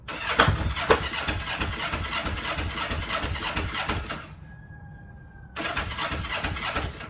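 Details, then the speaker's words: Kawasaki EX-500 whose starter clutch slipped because its bolt was under-tightened. The starter churns unevenly at about two beats a second, pauses with a fading whine, then cranks again. It now turns the engine properly; bike only partially working. "And now we got ourselves a partially working bike."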